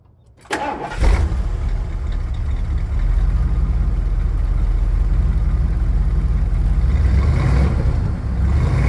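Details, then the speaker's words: 1979 Ford E-350 Chateau RV with 460 V8 after repairs and light tune: fires within a second of cranking and settles into an even, deep, steady idle with no misses or knocks; normal start and idle. "sounds good for the old 460 and that would be a wrap"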